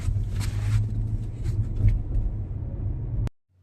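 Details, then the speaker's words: New Audi Q7 cabin while driving after fixing a sunroof corner that rattled with the sunroof closed: only smooth road rumble, no ticks or rattles overhead; normal quiet cabin. "OK， 不响了，非常安静，搞"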